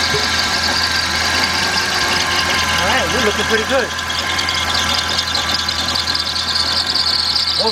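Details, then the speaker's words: 1996 Dodge Intrepid after coolant pipe replacement, with an intermittent no-start that the customer suspects is the starter. Smooth idle with a thin, steady high-pitched whine over the engine. Possibly the alternator whining; the AC belt also looks loose. "kind of whining. And look like our AC belt is loose."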